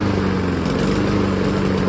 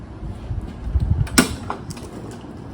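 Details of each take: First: Honda lawn mower: uneven wavering, stumbling low putter at idle; air filter clean, plug a year old; fixed by changing spark plug (13/16 socket). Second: Honda lawn mower after the spark plug was replaced with an NGK plug torqued to 14 lb-ft: after a few pulls it settles into an even, steady idle, curing the earlier inconsistent idle; air filter checked clean.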